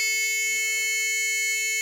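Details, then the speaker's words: Ford Escort Mk2 rally car: steady unbroken high-pitched warning buzzer from the easy-shift gearshift controller because gear positions have not been set yet; shift duration also still to be programmed, barrel position sensing, not load cell. "so now I've just got to put in the gear position I've got to turn that noise out I've got to put in the gear positions"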